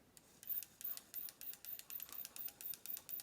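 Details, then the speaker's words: Old single-speed Dirt Devil hand vac that takes paper bags, motor turned by hand: a sharp, high squeak about four times a second in a regular rhythm. The fan or its bearing is suspected, unconfirmed. "other than some squeaking the thing actually sounds pretty okay well but yeah look even look at the condition of this fan i think this thing right here is squeaking"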